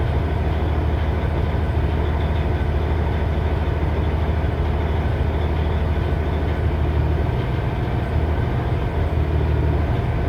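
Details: 2006 Cummins ISX CM870 diesel: a deep, heavy idle with an uneven, lumpy low beat around once a second that never settles. Rough idle.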